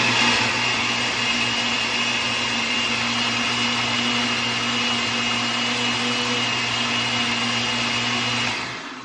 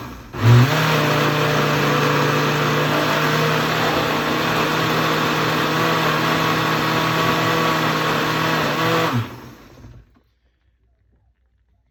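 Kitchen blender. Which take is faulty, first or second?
second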